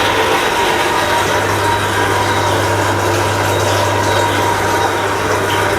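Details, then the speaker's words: Shimizu Satelit 3-inch submersible pump with APC SC-015E pressure control, water running out: steady low hum with loud, rough splashing and churning as the pump runs dry inside, noisy. "pompa ini kalau kosong maka suaranya agak berisik ya karena dia kering di dalam."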